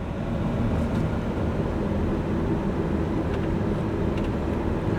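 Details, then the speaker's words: 2003-2009 Chevrolet Kodiak/GMC Topkick blower motor stuck on high: loud, steady full-speed fan roar with HVAC off and key out, no change on any setting, heard from the passenger side; usually caused by a failed blower motor resistor, part 12135104. "the HVAC or the AC or heat is off you guys can probably hear just how loud this blower motor is"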